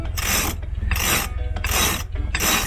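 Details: Sailboat's Lewmar Ocean winch, not yet serviced: four harsh, gritty rasping grinds, one per turn about every 0.7 seconds. A dry, dirty winch grinding that needs servicing.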